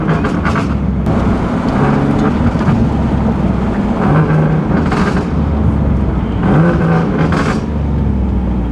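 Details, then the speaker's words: Boosted single-turbo Nissan 370Z Nismo driven on a nearly 100-degree day after an exhaust leak was fixed: steady, deep drone rising and easing with throttle, no ticking, puffing or hiss; exhaust sounds healthy, leak-free. "so i think it's safe to say that she's nice and healthy sounds good looks good"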